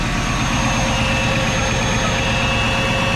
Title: We Got A Runner